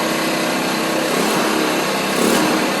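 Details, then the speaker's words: 50cc Chinese two-stroke scooter idling smoothly after performance clutch install (100 rpm clutch spring, 1500 rpm contra spring), idle being raised to reduce throttle play: steady even buzz, no hunting or misses; normal idle. "so I have a lot of play before I actually take off so I'm going to remove some of that by raising my idle"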